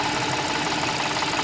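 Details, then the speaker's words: Audi S, bought 2014, cold start: fast light metallic chatter (啦啦啦) plus a 呱呱 sound from the engine top end over steady idle, comes and goes, clear cold but inaudible warm. "它发动机上面有2个声音。一个是啦啦啦啦啦啦啦的声音，一个是呱呱呱呱呱的声音。"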